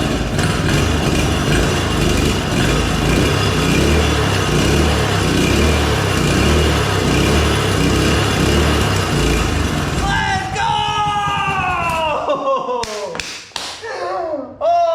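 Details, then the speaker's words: Previously seized Honda GX200 after teardown, rust and milky oil cleaned from cylinder, newer spark plug, choke open: small revs loud with an uneven, hunting beat about two pulses a second, then dies; running rough, cause unconfirmed. "it's definitely running I don't think it's running the best"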